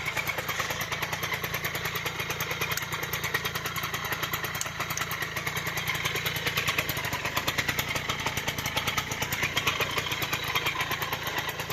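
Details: Restored Suzuki FZ50 two-stroke, first start after rewiring indicators, earths and rectifier, started without choke: buzzy, crackling idle that holds steady with no misses or dying; healthy small engine running.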